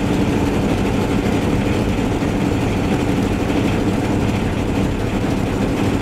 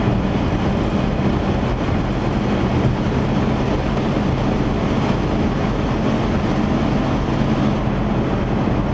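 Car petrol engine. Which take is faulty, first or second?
first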